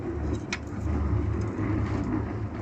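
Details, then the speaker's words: MG ZS front suspension on a ramp after spraying the suspected squeaking bush (squeaked when braking, pulling away and over bumps): low rumbling thumps with no squeak, fixed for now. "yeah and there you go yeah it's got a bit of plain which i don't need mountain but we've stopped the squeaking so that'll sort us out for a minute"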